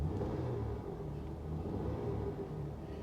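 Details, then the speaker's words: V6 at auction: a smooth, even low rumble with a light rev blip and no knocks or ticks. Engine runs well; only a TPMS light is on. "honestly not very concerned about this one guys at all runs like an absolute top give her a little Rev"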